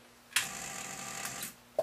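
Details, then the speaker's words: Zenith Space Command 600 colour TV remote control chassis during alignment: sharp clack then fast thin buzzing chatter and a click, as the volume relay's aluminium actuator chatters because the chassis lies on its side. "you can hear that little chatter there since the remote chassis is on its side uh gravity is not not working with that relay"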